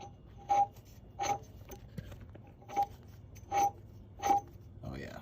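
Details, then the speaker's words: Turbo removed from a naturally-aspirated-to-turbo Lexus IS300, turned by hand: six rough scraping rasps about one a second; turbine nut backed out to its last thread, shaft wobbling, housing scored, blades cracked. "that is done there's a little the play you can hear it basically the nut on the turbine there had backed out and it was kind of on its last thread and it was wiggling around pretty bad"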